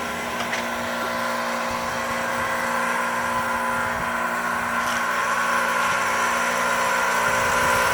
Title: Heat Pump Making Loud Noise